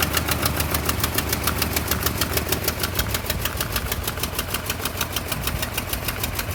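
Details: 1988 Toyota Pickup 22R four-cylinder with Aisin carburetor, after head gasket replacement: idle beats unevenly about three pulses a second with a lumpy, stumbling rhythm; rough idle.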